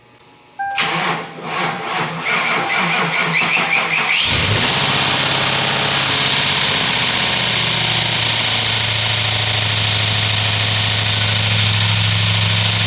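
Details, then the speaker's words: 2004 Ford Crown Victoria 4.6L 2V after timing chain replacement, starting on booster pack: cranks, catches, settles to busy even idle; owner reports a hard knock that comes and goes on startup despite oil pressure, cause unknown. "Noise goes away and then it comes back. That literally has me scratching my head. I have no clue what's going on. It sounds, I don't know, it sounds hard, a hard knock."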